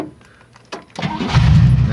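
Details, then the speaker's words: 1994 Chevy Astro van starting after a no-start: brief crank, then it catches cleanly into a steady, even idle. The no-start was caused by a 30 amp fuse-block circuit breaker with a broken brass pin not making good contact. "starts now the reason it wasn't starting was like I said that 30 amp circuit breaker with a broken brass pin"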